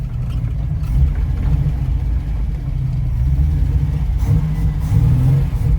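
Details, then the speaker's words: Ford Capri 3.0L V6 race car replica on its first drive after 20+ years stored, pulling away over a bumpy field, recorded from the back seat: smooth low note rising and easing with throttle, no misfires or knocks; good oil pressure and charge, normal running. "Everything is running perfectly. Good oil pressure, good charge, fuel in it."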